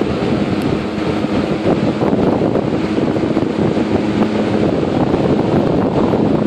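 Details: 1958 General Electric twin window/box fan, found in trash, cabinet repainted, dry-rotted blade part fixed with JB Weld: steady airy whoosh with faint low hum, no rattle, tick or scrape; normal smooth running.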